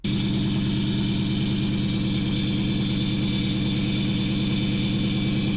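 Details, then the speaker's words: 2004 Ford Mustang Mach 1, starting on a charging battery: engine runs steadily with a loud, rough rattle pulsing about three times a second from the bellhousing/transmission area; cause unconfirmed. "Oh, that's terrible. Oh, that's awful. Oh my God. That's miserable sounding. That sounds awful. I've never heard anything like that."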